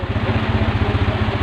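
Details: Honda Revo Absolute carburetor motorbike with a weak battery, after the kiprok (regulator/rectifier) was replaced, idling several minutes to charge: a quick, even putter of about twelve pulses a second with no misses or rattles; steady, healthy idle.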